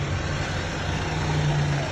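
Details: Perodua Kelisa after a wiring problem repair, idling right after starting. Steady, deep, even low rumble with no misses, knocks or rattles; running cleanly.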